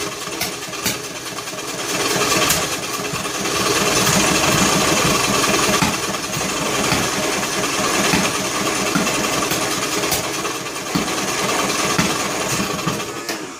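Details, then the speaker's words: John Deere L100 lawn tractor bought cheap, cranking on choke with valve cover off; rough, uneven chugging with sharp pops about four a second through intake and exhaust; owner suspects broken flywheel key throwing timing off. "It's popping out the intake and exhaust, as if to say the like the keyway is broke or something. Very interesting. When the keyway breaks on the flywheel, it throws the timing way off."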